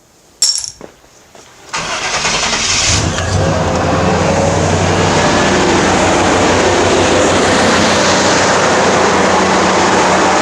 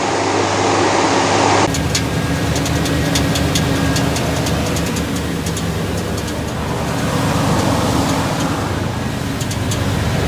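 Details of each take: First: 1989 Chevy K1500 Silverado after starter replacement; short crank, then engine catches at once and settles into steady, even idle with no grinding or starter chatter; normal start and idle. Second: 1989 Chevy K1500 Silverado idling on a cool morning: rough idle with light uneven tapping about four a second, only when cold; owner suspects starter pinion barely contacting the flywheel, torque converter bolts checked tight.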